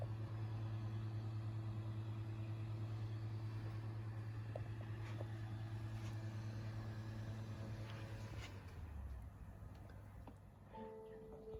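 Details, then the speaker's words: PS5 with the console already on as a disc is inserted: quiet, steady low hum of the drive spinning the disc, then a soft settle and light clicks; normal disc drive operation. "you can you can obviously hear uh what it sounds like when you when you when you first put a disc in the console"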